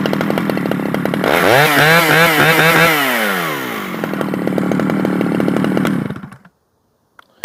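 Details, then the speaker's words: Stihl 011AV chainsaw after a carburetor rebuild: it flares, hunts unevenly, then falters and dies. It is awkward to tune even with the low jet turned fully in; the owner guesses it needs crank seals, unconfirmed. "my guess is because it's uh it's real awkward to tune it's probably going to need some crank seals it's just a guess you know um I just rebuilt the carburetor and all that stuff is good so whenever it's finicky to tune like that you know probably needs crank seals"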